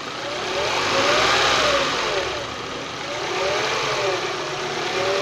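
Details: Honda Prelude running: steady hiss with a whine rising and falling with revs over a rough grinding underneath; grinding and whining noise, cause not clear.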